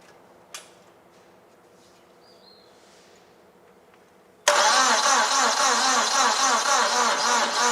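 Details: Old non-running TCM forklift on freshly connected fuel bottle: starter turns the engine over at an even, steady pace of about four beats a second, but it never catches or fires; no-start condition.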